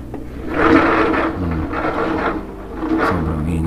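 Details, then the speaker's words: Older Samsung front-loading washer, complaint of noisy spin; drum turned by hand gives slow, rough scraping surges each rotation, from a cracked drum spider flange holding the drum. "kayos na talaga siya rito parang tingin ko basag na yung ano nito shop plange niya"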